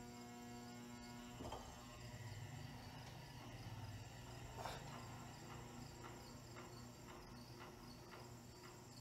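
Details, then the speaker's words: New-old-stock Lesslie Locke Spinner ceiling fan on solid-state variable control, 40 µF capacitor: faint steady buzz with irregular ticks as it struggles; stiff lower bearing needs work or replacement. "all right so i hear the buzzing it's it's rather struggling"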